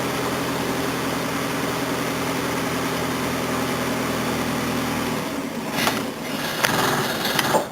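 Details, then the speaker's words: Datsun with a replaced fuel pump feeding a carburettor, cold day, engine has a blowing head gasket: steady, even hum for about five seconds with no whine or chatter; the pump now holds pressure and runs quietly. "yeah you can still hear it's got pressure now excellent quiet goodie"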